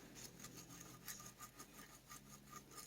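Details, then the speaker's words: Dolmar 7300 chainsaw crankshaft ball bearing spun by hand during disassembly: gritty, rasping rub with uneven scratchy bursts; bearing judged bad, possibly rough spots or metal inside. "there's some something in there either rough spots or some metal got into it"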